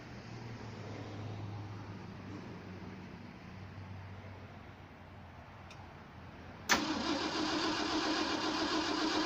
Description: That starter sounds way different now than before...